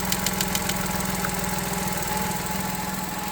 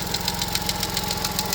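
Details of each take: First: Vauxhall Corsa after fixing a ticking noise caused by a broken plastic intake manifold swirl flap: engine now idles with a steady, even low hum and no ticking, running fine. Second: Vauxhall Corsa idling with a sharp regular tick about seven times a second, sounding like engine failure; the cause is a broken swirl flap in the plastic intake manifold, and the engine is fine.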